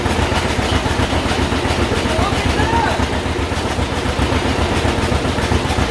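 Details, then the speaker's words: 1951 John Deere Model A two-cylinder, first run after about 30 years sitting, on booster: slow, loping, even low idle at initial settings with oil pressure showing, no knocks or misses; run without coolant. "it says we have oil pressure look at that low idle just on initial settings"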